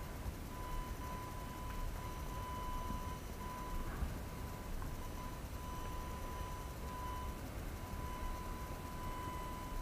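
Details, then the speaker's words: AFI VS-3SG 3-axis handheld gimbal recorded at night in a quiet room: thin, constant high whine at steady pitch from the stabiliser motors, loud enough to be heard in recorded video. "okay so I think it's pretty apparent that uh this Gibble makes noise that you can actually hear in a recorded video"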